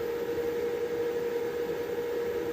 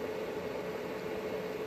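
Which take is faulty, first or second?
first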